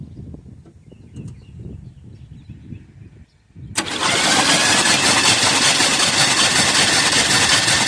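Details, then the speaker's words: 1978 Chevrolet Custom Deluxe truck after sitting about 21 years, engine freed by hand, battery connected, spark plugs out: silence, then fast even starter whir with no binding or catches. Engine cranks freely. "That's what we wanted to hear. That thing was just spinning right over. Obviously no spark plugs in it. That's a fantastic sound."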